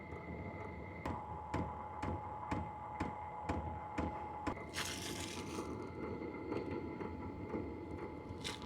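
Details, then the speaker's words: H-Calory diesel heater with a replacement quieter fuel pump, shell off, level 1: soft, even, faint ticks about twice a second under a louder steady fan hum, the fuel pump running normally. "I can't even hear the tick. I can hear the ticking, but it's very faint."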